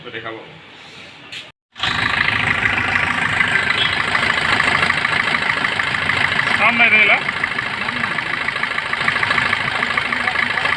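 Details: Suzuki Swift engine started and idling: a steady high-pitched whirring hiss over the idle, typical of a dry, worn alternator pulley bearing.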